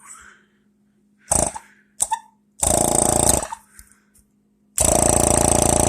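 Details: 1940 Chevrolet hot rod power brake vacuum pump after conversion to a one-piece adjustable shut-off relay; short bursts of buzzing, rapidly pulsing hum starting and stopping cleanly; pump running normally and quieter than before.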